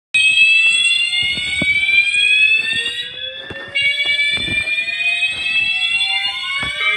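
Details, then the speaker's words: Building fire alarm that woke the occupant in the morning, sounding its evacuation whoop; loud rising sweeps repeat over and over; the occupant doubts it is a real fire and plans to take the long way out. "I don't know if this shit's real, but we're we're going to evacuate. I'm going to take the long way cuz I don't believe there's a real fire."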